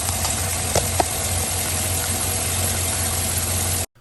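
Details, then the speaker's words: GM V8 Chevy Suburban idles steadily with a fast, light ticking from a driver-side exhaust manifold leak that is getting worse, with no coolant, oil or transmission fluid leaks; new manifolds and gaskets are planned. "but I want to know that you guys hear the exhaust leak on the driver's side it's getting worse it's from the exhaust manifold"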